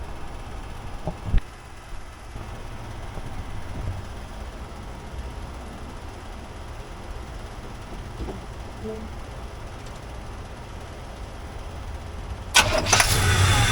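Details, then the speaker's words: 1985 K20 truck with a new Edelbrock 1906 AVS II carburetor, only the idle mixture screws adjusted: it starts instantly instead of needing long cranking, then settles into a steady, even low rumble with no stumble or hunting. Healthy idle. "dime doesn't sit there and try to crank anymore before it had to turn quite a few times to get it to start"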